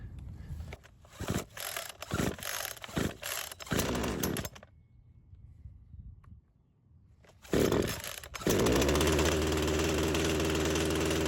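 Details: Craftsman chainsaw that sat for years, primer bulb full, on full choke: several quick rope pulls with no catch, a pause, then more pulls. Hard starting, with the cause not confirmed.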